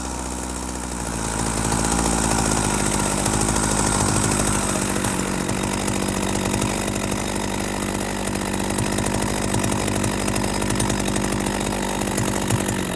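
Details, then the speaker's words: Husqvarna 40 chainsaw, after adjusting the idle screw down from too fast: slow, steady two-stroke burble with no racing or hunting, low enough that the chain stays still; idle is set right. "That's what we want for a chainsaw. We don't want that chain always spinning."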